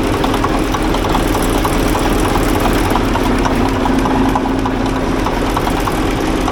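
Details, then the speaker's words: Ex-military, low-hours Cat D8K with a D342 diesel, after a new turbo and exhaust manifold to fix exhaust leaks, run without a muffler: loud, steady, unbroken idle rumble with no puffing or ticking. Sealed up; the turbo quiets it down. "but she's all sealed up she sounds good not too bad without that muffler on her turbo quiets it down"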